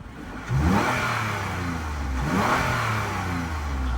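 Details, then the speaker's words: Flood-damaged 2016 Lexus RX 350, at normal operating temperature with no overheating: engine blips up smoothly from idle and settles back cleanly, no knocks or rattles; sounds fine. "Engine sounds fine. The engine sounds fine."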